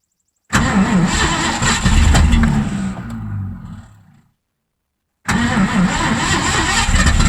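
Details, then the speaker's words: 1984 Mazda RX-7 with swapped Ford V8, rebuilt carb, inline fuel filters, patched radiator: cranks and fires into a lumpy steady idle, dies, restarts and holds; oil thinned by gas from sticking needle and seat. "Sweet, we got an idle. Got a lot of gas in the oil from the needle and seat sticking, so it's probably pretty darn thin. But it's running, so that's a step in the right direction."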